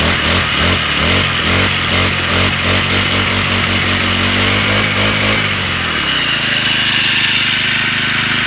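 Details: Small four-stroke grass trimmer after its carburettor was replaced to cure stalling and failure to rev: revs up crisply, holds high speed, then drops to a steady idle without faltering.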